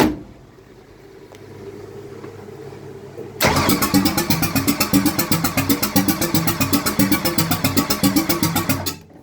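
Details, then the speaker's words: Ford 302 roller motor, B303 cam, Windsor Jr heads, MSD ignition, ran fine previously: after starting fluid squirt, steady starter cranking about four beats a second never fires; coil has power while cranking; cranks, won't start. "That's all I get. I got uh juice to the coil. Checked that while it's cranking, so the MSD box is sending a signal to the coil."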